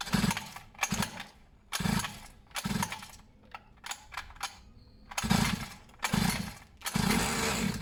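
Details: Two-stroke pit bike/mini moto being revived with fresh fuel, spark felt: uneven sputtering bursts under a second long, each catching briefly then dying between kicks; engine fires but will not keep running.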